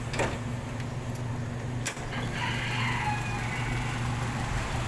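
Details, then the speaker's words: 1995 Toyota Kijang Grand Extra 1.8, starter test in neutral: brief crank, then it catches and settles into an even, steady idle with no knocking; a healthy engine. "Kalau coba starter, pasti netral dulu. Tes starter ya."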